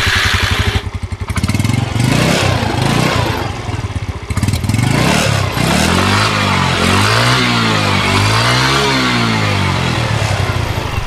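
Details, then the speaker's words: Yamaha Mio M3 scooter, final drive (gear case) after repair of harsh crack noise from CVT area on throttle release, revving: drive whine rises and falls smoothly, no grinding; about 10% difference, pulley bearing very smooth. Normal final drive running. "ada sedikit perbedaan suara ya mungkin sekitar 10%an dan di sini untuk bearingnya ini Aman bearing pulleynya sangat halus ya"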